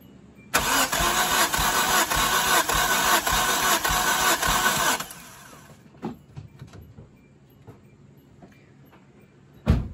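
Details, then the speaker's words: Turbocharged Hyundai (Daily) engine after a loud pop on its last pull at the track, compression test on cylinder 3: about four seconds of steady, evenly spaced cranking, gauge about 119 psi, within 1–2 of the other cylinders; even compression. "Yeah, about 119. It's the 1 down below it. So the other 2 were 2 below it, and this is 1 below. I mean, that's really close."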